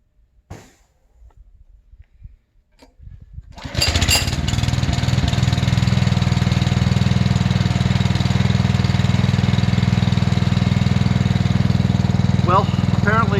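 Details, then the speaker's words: New Simpson ALH3228-S pressure washer on its first startup. After many pulls it was tried with more throttle and little or no choke; a few quiet pulls, then it catches and settles into a steady, even run. Starts and runs fine. "so um anyway that's the first startup I will say this sounds like it runs like a kitten"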